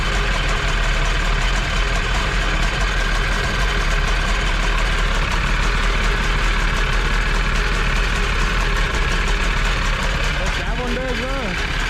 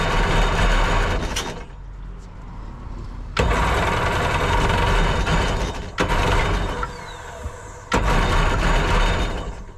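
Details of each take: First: Jet boat two-stroke with freshly rebuilt carbs, on a water hose: steady low rumble at even speed, no stumbles or misfires; running smoothly. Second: Jet boat engine, missing a hose to the firewall (owner unsure, thinks pressure hose): rough bursts surging and dropping out every couple of seconds, rich choked running; choke stuck on from a kinked choke line, likely needing replacement.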